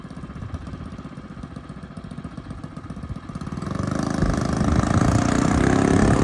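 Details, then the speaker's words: Small engine on a custom yard kart revving up: a rough, rattly clatter builds with speed from the drive. The owners suspect the chain needs aligning or a bearing is bad; not confirmed. "They spun it once, and now it's not sounding too good with the chain. What was that noise?"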